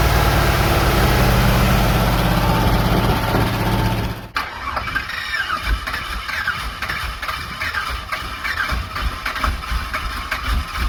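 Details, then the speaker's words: Small-block Chevy V8, refired after refilling a cracked, leaking radiator with water: cranks, catches, then an uneven, stumbling idle with irregular thumps; it smoked after filling, so owners call it a head gasket issue. "As soon as we filled it up with water, you saw it was smoking pretty good out there. So definitely head gasket issue and who knows what else."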